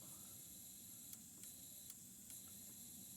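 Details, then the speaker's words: Six-cylinder injector tested off the engine: steady faint high hiss with a few light ticks, injector spraying fuel properly. "And you probably won't be able to hear it on camera at all, but I can definitely tell this one's spraying fuel."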